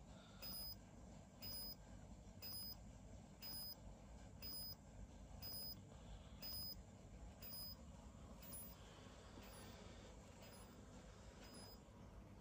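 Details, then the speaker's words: HP Smart Tank 500/516 printer with air deliberately introduced into ink pipes, running head ink charging: faint, evenly spaced high chirps about once a second over a soft low hum as ink primes through the tubes. "देखिए अभी भी continue heading charge कर रहा है, आवाज़ सुन सकते हैं आप।"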